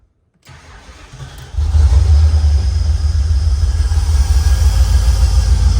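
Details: Holden VN Berlina 5.0L V8, just bought with a flat tyre, fuel added, fuel pump heard priming. Brief cranking, then it fires within about a second and settles into a deep, steady idle with no stumble: normal start.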